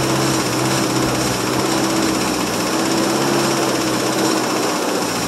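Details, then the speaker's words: 1963 International C120 4x4 pickup, 266 V8, cold start after being off the road since 2002: runs fast and rough with a clattery roar only while fuel is poured into the carburettor, not drawing fuel from its own supply. "well as you guys see it did take a start it does run if you feed it"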